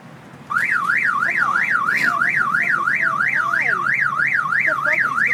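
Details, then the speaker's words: Car owned about 8 months, with an aftermarket remote starter that had no battery when bought. A loud electronic siren sweeps up and down about three times a second, starting abruptly; the starter's built-in alarm has been triggered. "the car starter must have its own alarm the car starter didn't even have a battery in it when i bought it"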